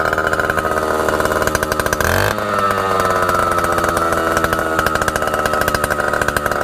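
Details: A 1960s Solo 626 70cc two-stroke chainsaw, long unused and not yet serviced or carb-cleaned, gives a crisp buzz that dips, picks up, and settles to an even high whine. It runs clean and strong.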